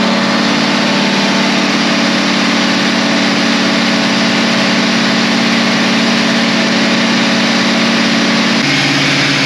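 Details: Caterpillar 3208 diesel after a fuel pump install and bleeding: loud, steady diesel clatter at an even idle with no misses or knocks; it is idling cleanly.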